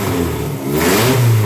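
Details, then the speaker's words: Dodge Daytona stock car, rebuilt engine with aggressive canned tune (EGR/EVAP deleted, more timing, more aggressive fuel map): crisp quick rev, deep punchy note, clean pickup; strong, healthy engine. "I mean, you can hear it, it's got some pop."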